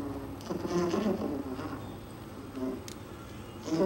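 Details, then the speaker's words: 220V DVD/CD player with battery fault, also played through a large TV: rough rattly buzz rides over playback, rising and falling with the audio; owner suspects a dirty or loose wire rather than a faulty speaker. "Không, có khách nghe gì là nó bị lỗi hay là bị dơ hay bị lỏng dây gì á, nó nghe cũng rè rè chứ không phải là do lo này."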